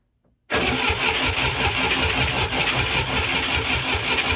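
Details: International Scout 800A, barn-stored for years, cranking on the starter during a compression test. A fast, even cranking whir for about four seconds with no firing.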